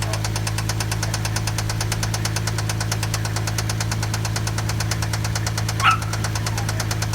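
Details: Toyota 1JZ-GE engine at idle: sharp, steady knock about seven times a second over a low hum, from a spun rod bearing.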